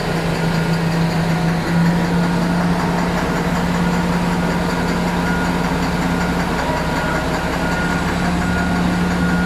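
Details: Komatsu HD785-7 diesel engine idling with a deep steady drone and a faint uneven knock; the knocking is causing black smoke and low engine power.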